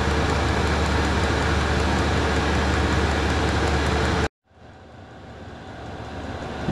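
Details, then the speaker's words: Newly installed diesel air heater running at full output at its 40-degree maximum setting, in a 15-degree room: a steady, even roar of fan and burner, no misfires or surging, then it cuts off; clean exhaust and good heat; normal running. "Nice and clean. Makes a bit of noise. There's a good heat coming out"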